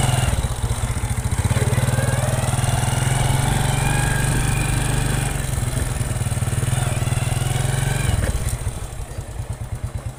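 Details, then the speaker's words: Honda Revo motorcycle: thin, wavering whine while revving that fades back to a loping idle, a screaming drone heard when shifting gears, from the clutch bell/primary gear; the bike also has a worn, ticking piston. "Saat dioper gigi ada suara menjerit, menangis, mendengung. I itu keluhannya ada di lonceng gandanya ya."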